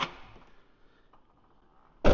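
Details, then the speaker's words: 2013 Ford F150 with shaved door handles, passenger side: quiet, then a firm release thunk as the touch-glass door popper releases and the door pusher opens the door; working normally, unlike the other side, where the relay clicks but the popper gets no power. "So, passenger side uh touch glass door popper, right? And then this is the door pusher"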